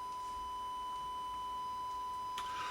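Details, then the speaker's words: York 861 radio receiver check with a 1 kHz test tone from an RF generator: a clean, steady tone with no hum, buzz or crackle; the receiver reproduces the test signal perfectly. "which is perfect"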